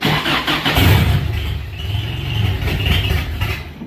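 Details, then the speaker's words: 1990 Isuzu Trooper 2.6 four-cylinder, carb-converted: after reinstalling the distributor with the rotor pointed at cylinder 4 using the correct timing marks, it cranks briefly, catches cleanly and settles into a steady, even idle; normal start. "So once I pulled the distributor out and used the correct timing marks on the distributor, which pointed it at cylinder 4, and reinstalled said distributor, it fired right up."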